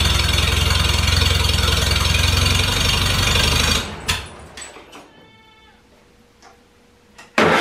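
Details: Farmall Super A tractor, after cold restart following ground and wire repairs that restored spark: even steady firing chug, no misses, before shutoff; normal idle, runs fine.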